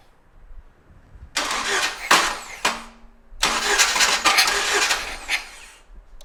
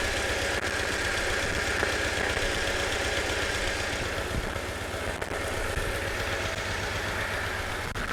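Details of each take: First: 1997 Jeep Wrangler first cranking after starter install: short bursts of starter cranking with a scraping metallic rasp over the whir; shield around the transmission suspected to be contacting, to be adjusted with heat. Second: 1997 Jeep Wrangler first start of used crate engine after new starter install: even idle with quiet top end, no valve tick or knocking; oil pressure confirmed; a starter shield contact noise noted earlier.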